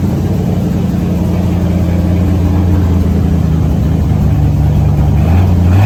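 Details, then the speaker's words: 1970 Ford F-100 with a Mexican-block Ford V8, first fired after a long sit with a little gas added; smooth, deep, even rumble at a steady idle with a slight rev rise; quiet, normal running. "I think he's a great old motor really good motor that's quiet it is this is super fun this is great as motor"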